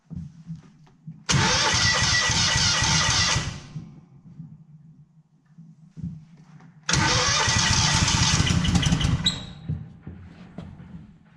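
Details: Kohler CH20 Command 20hp V-twin in a Walker GHS mower, first start after budget rebuild; two loud bursts of firing each dropping to a low, even idle; starts and runs normally.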